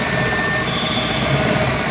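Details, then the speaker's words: Ford throttle body with IAC on a recently installed MPFI system, before repair. A steady high whistle rides over a constant idle hum, from air blowing past sharp edges in the throttle body/IAC intake path. The intake also resonates. "so yeah there's Stephanie it's like a lot of whistling down here"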